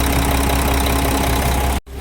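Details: Mack E7 diesel in a Mack Vision CX613 after a water pump replacement and coolant refill, fully warmed up with no leaks; it idles at a steady, even beat with no rattles or uneven firing before it cuts out; healthy warm idle.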